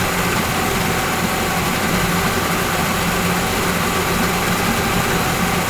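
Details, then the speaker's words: Yamaha 40 hp two-stroke outboard with Precision Blend oil injection, after a carburetor cleaning; it started on the first pull and smokes from oil-filled cylinders. Steady, even idle buzz with no stumbling, surging or misfires. Normal idle. "really good though if p.m. good starting to burn out"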